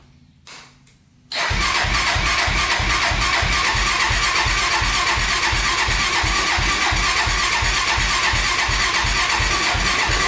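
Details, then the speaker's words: 1999 Honda 400EX carbureted quad, stock before the turbo install, cold start at about -16° in the shop with the choke on: quick catch, then a steady, even single-cylinder idle. Normal baseline cold start and idle. "so while she runs it's about negative 16 degrees right now so a little cold in the shop today running with the choke on for a bit here running pretty good"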